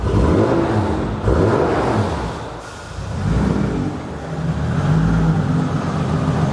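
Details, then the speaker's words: VW MK4 R32 twin-turbo on new ECU: after a small rev the idle surges and sags unevenly instead of settling; erratic idle after revving. "now if I give it a little rev it does ID or funny again but"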